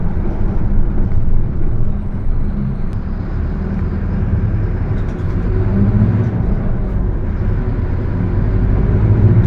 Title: [Engine Sound](Diferencial Roncando)Torino S Mercedes benz OF 1721 BTC 5/Viação Estrela 100.141